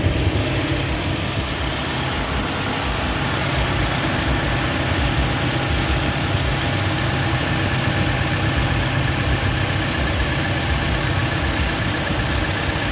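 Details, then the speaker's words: Toyota Vigo diesel idling with AC on after AC repair for refrigerant loss (suspected compressor-front leak), condenser cleaned, dirty moist evaporator removed; steady idle, low drone with compressor hum, no knocks or squeals. Normal idle with AC on. "สตาร์ทเครื่องเปิดแอร์แล้วครับ"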